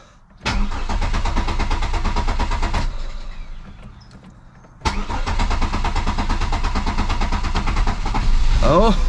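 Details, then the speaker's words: 1999 Chevrolet Malibu after sitting about two years, old fuel likely bad: rhythmic cranking at about three turns a second, pause, then fires and holds an even, steady idle. "now the full fuel's probably shot it's cranking over at least"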